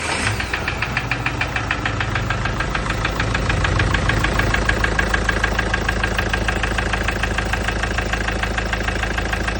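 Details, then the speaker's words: Mahindra Scorpio mHawk diesel idling: steady, regular knock from inside the engine, about three a second, after it overheated from coolant leak and stalled on the road. "അപ്പൊ ഇതിന്റെ ഇപ്പോ കേട്ടുകൊണ്ടിരിക്കുന്നത് normal sound അല്ല ചെറിയ നോക്കി sound ഉണ്ട് അത് തന്നെയാണ് ഈ വണ്ടിയുടെ കംപ്ലൈന്റും"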